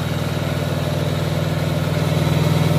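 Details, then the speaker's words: Opel/Chevrolet Blazer "Black Dog" after engine reinstall, restarted after a wiring check: a deep, very regular idle at about four beats a second, steady with no knock, miss or rattle; the engine idles cleanly. "Berhasil menyala teman-teman."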